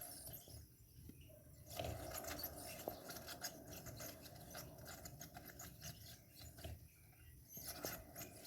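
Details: Tufão household electric fan, front cover removed and blade turned slowly by hand; thin mouse-like squeaks and chirps from dry motor bearings, fixed by disassembling the fan.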